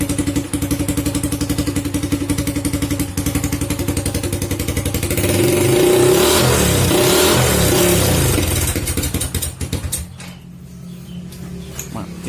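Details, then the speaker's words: Early Honda Supra Fit single-cylinder at warm idle: runs fine cold, but once hot idles unevenly, surges and stumbles, then dies; ignition parts already checked, mechanic suspects a stuck automatic decompressor on the camshaft. "Nah, seperti itu dia, berebek-berebek. Kita tes ulang. seperti itu teman-teman, dia pincang-pincang."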